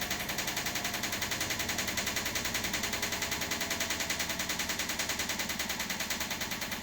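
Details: Washing machine on spin: sharp, regular bangs about three per second from the chassis cracked where the shock absorbers mount, not from the shockers themselves.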